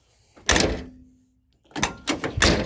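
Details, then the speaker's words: 1981-1990 Ford EXP/Escort (Mercury LN7/Lynx) door with stock, dying window run channels, glass not fully up: the door shuts with a hollow, snare-drum-like plopping rattle as loose glass clatters inside. "You hear that plop plop, and it sounds like a snare drum. That's the sound of the glass rattling around in there. And as you drive down the road, this is what you hear, unless you have it all the frickin' way up."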